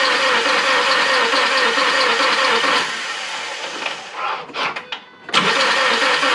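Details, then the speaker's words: Ford Focus after engine and transmission reinstallation, first start attempt with fluids filled: steady starter churn for about three seconds, never catches, then cuts out; cranks but won't start; owner suspects injectors dried up from engine sitting. "thank you man they started tripping because this thing wouldn't start I tried like 10 times and it wouldn't shrink um my guess is maybe the injectors dried up because this engine has been sitting"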